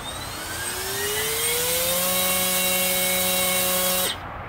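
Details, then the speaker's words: Brushless (BLDC) motor on a thrust stand, conventional control before switching to field oriented control, speed limited to 16,000 rpm: normal start-up, then a shrill whine climbing in pitch as it accelerates, holding a steady high tone before cutting off. "listen in particular for the sound it makes when it first starts up and the shrill whine is it accelerates after that"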